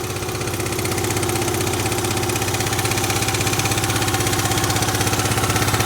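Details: Yamaha Grand Majesty SG15 scooter, 30,000 km, oil changed every 2,000 km; idling with a fast, regular tapping about four per second that appeared suddenly; owner hopes for an AIS pipe exhaust leak but fears crank or head area.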